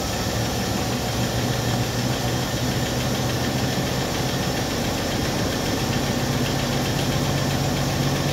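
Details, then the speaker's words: 1964 Chevrolet Impala convertible (Antwerp-built) inline six, first start after sitting since 1995: steady, even idle with a smooth low hum, no misses or knocks, not too much smoke; normal idle. "even idly not too much smoke do we have oil pressure"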